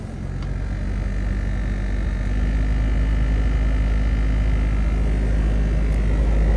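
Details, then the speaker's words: Land Rover Discovery 2 heater blower motor, suspected full of debris; fine on low speed but deep droning rumble that swells at high speed, almost resonating; cause not confirmed. "speed not sure if you guys can hear that but it's sounds like it's almost resonating"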